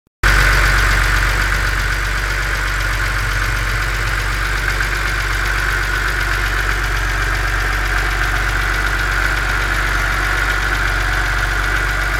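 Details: BMW Z4 2.5si six-cylinder at cold idle: steady idle with a light, fast ticking riding over it; source of the tick not identified.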